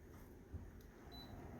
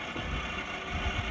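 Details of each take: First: Samsung Novus wall-mount mini split indoor unit, fan mode, after replacing the BLDC indoor motor (bearings failed from a dirty blower wheel) and cleaning the coil: soft steady air rush, low even hum, no rubbing or rattling; runs smoothly. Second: Samsung Novus wall-mount mini split indoor unit, fan at high speed before motor replacement: steady rushing airflow over a rough, uneven low rumble; BLDC blower motor bearings failed from a dirty blower wheel.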